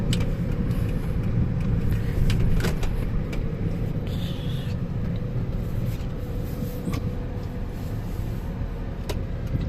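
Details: 2004 Honda Stream on a test drive after its noisy reverse-time bearing was greased and refitted (replacement still on order); steady low rumble with only road and cabin noise, no knocks or whines, driving normally.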